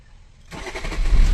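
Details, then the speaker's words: Swift Dzire that sat a month unresolved at another garage with a no-start (no response, no rpm), traced to wiring and ECM fault; after ECM repair the engine cranks briefly and catches at once into a steady run, a clean first-try restart. "Start అయిపోయింది vehicle. మళ్ళీ start అయిపోయింది."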